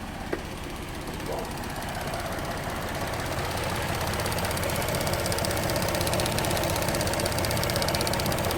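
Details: 2008 GMC Acadia 3.6L V6 with P0300 misfire, cylinders 3 and 5 dead, engine shaking, right after clearing codes: fast, regular ticking rattle, nearly three per second, over a rough idle, diagnosed as a timing chain rattle; injectors, plugs and coils ruled out.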